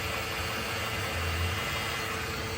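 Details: 2011 Nissan Murano AWD, 3.5 automatic, 215,100 miles: a steady mid-pitched whine over the engine hum from a bad CVT transmission, while the engine itself runs well.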